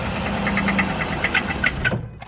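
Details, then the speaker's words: Engine starting with difficulty, uneven metallic rattling over a rough idle with sharp clatters, then it shuts off; engine rattle at idle then stall, cause unclear. "So you guys, you hear that rattling? That's the engine. It needs to be fixed, and I'm just asking for help."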